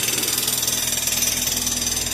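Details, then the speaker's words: Chevrolet Corsa Classic with the battery warning light staying on: a harsh, hissy scraping pulsing about nine times a second with engine speed, sounding like a pulley rubbing against the timing belt cover. "se vocês repararem o barulho que tá fazendo ó ó não sei se a câmera conseguiu captar o som"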